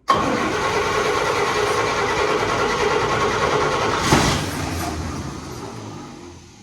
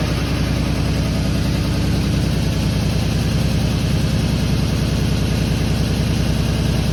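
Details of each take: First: Fire-damaged 1951 Chevy, carburetor leaking heavily: cranks and catches, runs roughly and unevenly for a few seconds, then dies; engine flooded. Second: Fire-damaged 1951 Chevy six, carburetor stopped leaking after it was tapped, radiator not yet fitted: steady, even low rumble, smooth regular beat, no misses, knocks or ticks; normal idle.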